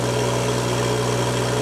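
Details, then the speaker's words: Turbo-modified John Deere 1025R subcompact tractor at 2700 rpm driving a loader into a pile, pedal fully down: engine holds steady without bogging or stalling while the hydrostatic transmission relief valve squeals constantly, normal. "okay see the difference so in that test we drove it all the way in put the pedal all the way down you could hear the squeal of the pressure relief valve and the and the hydrostat transmission but the engine didn't bog down"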